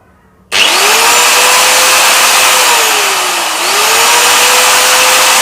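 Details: Angle grinder after bearing replacement (previously jammed with breaking noise): sharp start, then clean high whine holding steady pitch with one brief dip and recovery; smooth and free running, no grinding.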